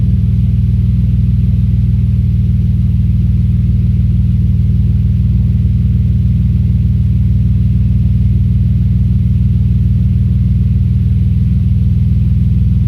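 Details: Audi S4 B5 engine misfire: a deep rumbling idle with a lumpy, uneven beat of roughly three pulses a second.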